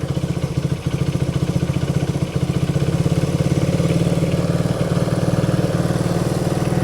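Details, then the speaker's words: 1971 Honda CB100 single-cylinder, 2,786.6 miles, revived after decades unused: low uneven chugging idle sagging near stalling. "Give it a little bit more gas. Oh, we got a little too much gas."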